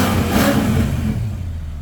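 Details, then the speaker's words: 2005 Maserati Quattroporte after electronic faults, fan cycled off and idle settled at 950–975 rpm: crisp revs climb cleanly and fall away evenly with no stumble or hesitation; throttle response now restored and healthy. "Wow, definitely got throttle response now. All working very nicely, very smoothly. Wow, it sounds absolutely phenomenal."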